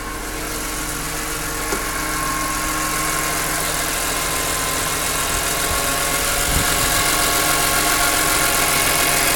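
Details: BMW E46 M3 petrol engine idling steadily with a light, regular tick, roughly four ticks a second.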